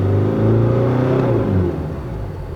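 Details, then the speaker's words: VGT turbo diesel that jerks when the accelerator is pressed, boost pressure and intake air watched on live data. A rising whoosh wavers and drops unevenly on throttle: turbo boost fluctuation. "When you accelerate, the line goes up But at the end The anus has to close naturally, but it closes like this You can hear that sound."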